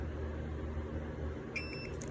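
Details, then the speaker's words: Fellow owner's 5.7 Hemi swap harness and PCM (Hemi-swapped Cuda), before wire-by-wire bench continuity testing: a cheap Craftsman meter on tone gives a single clear high beep of about a third of a second when the probes touch; normal continuity beep. "I'm not gonna bore you with that, with me using my continuity tester and my cheap Craftsman meter on tone. So it beeps whenever I touch them together."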